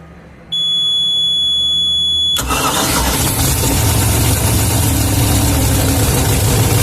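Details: Boat with center-bolt 350 Chevy V8, long-stored: thin electronic beeping, then the V8 catches quickly and settles into a steady, even idle with no misses or knocks; normal idle.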